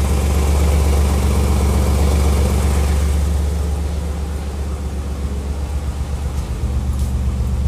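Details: Nissan 300ZX that runs smooth with no smoke but has a strong exhaust smell and sometimes crackles on acceleration: steady V6 idle with regular low popping, about four a second, tracking engine speed; owner suspects an exhaust leak or bad cats.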